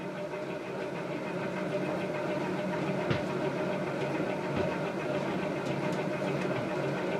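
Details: Emerson CF-28 2-blade antique ceiling fan, circa 1900, run from zero to high at 120 volts, drawing about 2.81 amps: even, steady hum with gentle regular pulse, no scraping or knocking; running smoothly on high.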